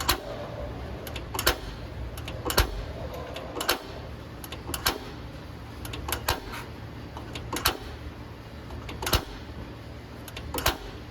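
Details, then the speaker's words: 2022 Wildwood 28VBXL travel trailer griddle, propane system not fired for a while: sharp dry igniter clicks about one a second, somewhat uneven, while air clears from the propane lines before the burner lights; normal. "Now it has been a while since this propane system is fired up, so it's going to take a minute just to clear all the air out of the propane lines. That's perfectly normal."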